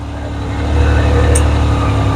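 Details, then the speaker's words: Yamaha YXZ1000R UTV idling warm; the added fan override switch turns the radiator fans on manually, a whooshing hum swelling over the first second and holding over the low idle; radiator fans running normally. "just make it blow in here manually"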